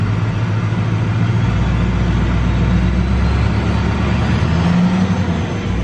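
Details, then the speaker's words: 2005 Duramax LLY diesel with compound turbos, idling and free-revving stationary: deep, even rumble rising smoothly, no injector tick heard; owner notes a slight tick only while driving under light acceleration, suspects a noisy injector; balance rates within 2.5. "at idle just revving up it doesn't sound bad but while I'm driving it's got a little bit of a tick to it"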